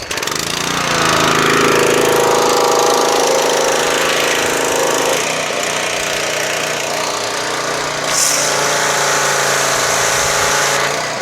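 Small engine settles into a steady, even drone with no misses or stumbles, holding speed smoothly: runs healthy.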